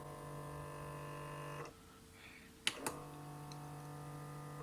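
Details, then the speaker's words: Tascam Portastudio 488 MkII cassette transport with broken gear C: steady motor whir, two button clicks, then whirring resumes as gears try to retract and lower the head assembly but cannot; the three LEDs above the shuttle buttons flash. "you can hear it whirring, thinking about it, but it's not really working. So and when I removed my finger from that switch, then there was whirring again, because gears are trying to turn to retract and lower this head assembly, but it can't do it because the gear C is broken."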